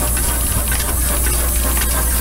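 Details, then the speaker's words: Former sawmill steam engine running on compressed air instead of boiler steam: continuous airy hiss with soft even exhaust pulse, no knocks or rattles, governor working, well balanced; normal running. "here's another one of the steam engines that we're going to be selling and this one ran a sawmill and lonnie's got it running for air on us"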